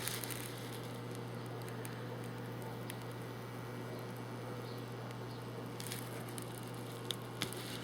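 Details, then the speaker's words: Homemade hot foam cutting table switched on; steady low mains hum from the transformer with faint crackling as the hot wire starts cutting foam; normal operation. "okay i know it's on now i can hear the transformer hummon turn up a little bit more"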